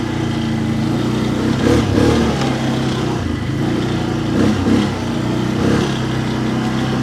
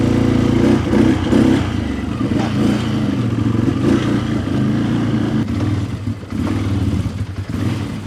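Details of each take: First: 2011 Can-Am Outlander XTP 800, test ride on snow, charging at 14.5 V: engine pulls cleanly through repeated throttle surges, revs rising and falling smoothly without stumbling; far better than before. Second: 2011 Can-Am Outlander XTP 800 before repair, at steady throttle: rough idle, uneven lumpy pull with no crisp rise, well down on power. Suspected low fuel pressure from a bad fuel pump or clogged pump sock filter.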